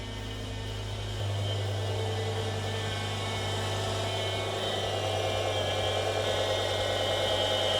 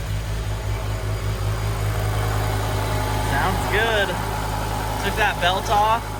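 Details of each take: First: BMW E60 M5 V10 after rod bearing replacement, warming up toward 70°C coolant temperature with power steering fluid only partly filled: thin steady whine over the engine, rising and falling with revs, from the power steering pump, a known issue. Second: BMW E60 M5 V10 after rod bearing replacement, idling with the belt off so the power steering pump is not spinning: steady low hum, even firing, no rhythmic bottom-end knock; bottom end likely fixed.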